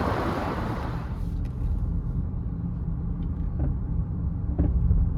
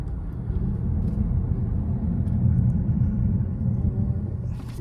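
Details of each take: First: 2015 Honda CR-V, 112,000 miles, on a short test drive: irregular dull clunks over steady road rumble. The cause is loose front sway bar end links and worn sway bar bushings, which are being replaced. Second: 2015 Honda CR-V, 112,000 miles, test drive after replacing front sway bar bushings, end links, brake pads and rotors: steady low road rumble with no clunks or rattles from the front, now quiet and solid.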